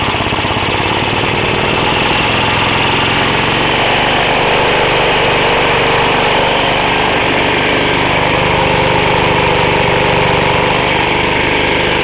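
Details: Half-restored 1954 reel mower: repainted Briggs & Stratton 6S, 1.6hp, non-original shroud, pull start removed, homemade throttle valve; plus 1984 Montgomery Ward B&S 3.5hp TMO-37425A. Fast, steady, even single-cylinder popping, no knocks or misses; normal running.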